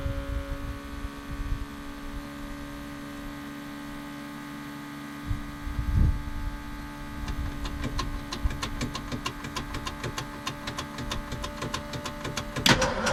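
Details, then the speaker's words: 1974 Ford F100 4x4 390FE big block with an electric fuel pump: a low humming idle turns into an uneven burble and stumble once it picks up, no longer smooth as it used to be. Misfire. "it's just got kind of a like a burble and a stumble it's just not smooth and it used to be smooth"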